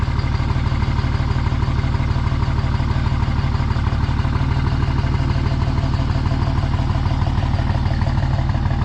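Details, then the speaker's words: 24V Cummins diesel after valve lash adjustment, driving: steady clatter about three beats a second with low thump, smoking white/blue the whole time with burnt smell; owner suspects an injector not firing right, injectors to be tested. "okay yeah it's smoking the entire time literally the entire time it just smoked it's white smoking"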